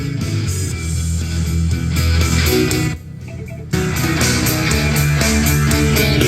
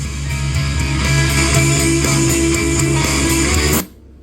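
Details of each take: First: Marshall Emberton speaker after repair, which previously popped and shut off at full volume (charging now normal at 1.5 A): loud music at full volume plays on without cutting out apart from one brief quieter stretch; the speaker holds full volume normally. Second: Marshall Emberton speaker playing guitar music at full volume, then a soft whoosh as it abruptly cuts out into near silence; owner reports a shorting sound and shutdown at maximum volume.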